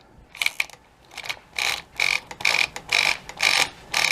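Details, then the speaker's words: Axial Yeti Jr RC truck front open differential with stripped gears, present almost since new, rear fine: loud rapid sharp ratcheting clicks in bursts about two a second while running; fix is replacing the diff gears or gluing them solid. "And when you're running it, you can hear it really loud, slipping in the front."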